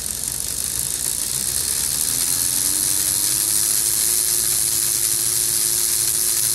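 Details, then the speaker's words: Old Bachmann HO BQ23-7 locomotive motor and gear train after super glue and baking soda repair of a cracked plastic gear, bench-run on alligator clips: light fast ticking about three per second over bright whir; repaired gear now quieter, normal. "she's spinning do you hear that the clicking sound is the repaired gear when it's not repaired that clicking sound is a much louder"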